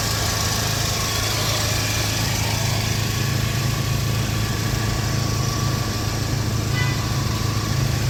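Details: Car idling with a loud, raspy low puffing under the engine note from an exhaust leak.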